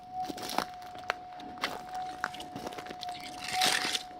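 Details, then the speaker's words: Minelab GPX4500 metal detector with modified new input stage, RS gain about 2, in Talbot, Victoria; steady unwavering threshold tone with only faint handling crackles, very quiet and stable with no chatter. "And yet, if you come to the target, it's so quiet. It's hard to believe it."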